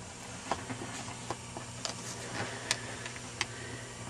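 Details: 1941 Rauland tube PA amplifier, interstage transformer driving the 6L6s, tested on external supply around 315 V with preamp tubes removed: irregular sharp crackles and pops over steady hiss with no signal; noisy interstage transformer, to be replaced.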